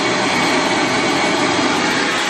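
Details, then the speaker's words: Vacuum cleaner powered from an inverter fed straight off a 13.4-volt battery with no charger: steady, even rushing roar with an airy hiss and no dropouts. Voltage dropped, but it runs like a champ. "the power coming straight off the inverter into the vacuum boom runs it like a champ it dropped the voltage down"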